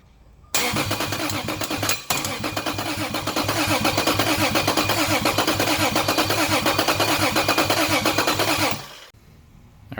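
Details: Toyota Cressida with a 2JZ swap on a standalone ECU and LQ9 coils, starter jumped: steady cranking with even compression pulses, never firing. There is no fuel supply because the fuel pump is not yet powered.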